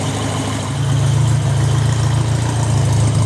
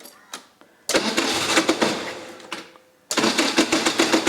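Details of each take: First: 1981 Royale RP30 Formula Ford, stainless exhaust: even steady low idle around 800 rpm, 40 psi oil pressure, water temperature rising, no knocks or misses; smooth, well-maintained engine, normal idle. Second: 1981 Royale RP30 Formula Ford race car, no choke, carb throttled a few times by hand, started via external power port: three bursts of fast even cranking about four beats a second, no firing; cranks but does not start.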